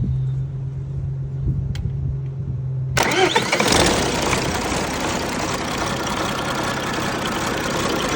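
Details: First start of a rebuilt MMZ-260 diesel in an MTZ-1523 tractor, some small pipes still to fit. Starter cranks, fires at about three seconds and settles into an even, clattery idle; normal running.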